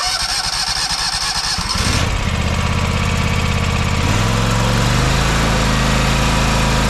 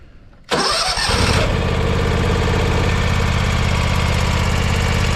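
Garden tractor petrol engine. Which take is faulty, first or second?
second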